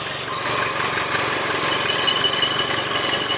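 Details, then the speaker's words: Opel Astra J at idle: high steady whistle from the front crankshaft seal as air is sucked past it because the PCV (crankcase ventilation) membrane has failed, causing lean-mixture complaints; whistle appears when the PCV port is blocked. "Ни за что не догадаетесь, что это за звук. Это свистит сальник коленвала передний."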